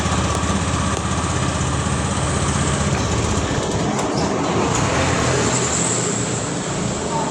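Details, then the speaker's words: 2018 Honda Scoopy, about 8 years old, which wouldn't electric-start when cold: starts and settles into a steady, even putter with no misses. "Ya, sekarang kita starter ya. Kita starter ya. Dan nyala ya"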